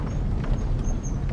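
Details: Lowered car with rear air suspension, almost one month old (no noise before with slim coilovers), driving over paver-block street: dull knocks every half second under road rumble. Rear suspension clunk, cause unknown.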